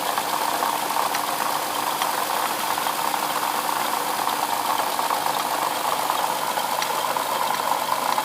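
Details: '07 Lexus IS350 at steady idle with a faint metallic rattle and occasional sharp ticks from the front side of the engine; owner suspects a bad water pump, unconfirmed.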